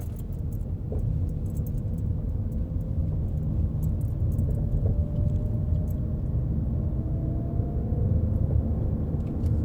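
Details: 2014 Ford Fusion SE 1.6L, 11k miles: light uneven rattling from the worn front passenger strut over small bumps and gravel, absent on large bumps and above 40 mph; dealer found the strut noisy when moved, and a new strut fixed it.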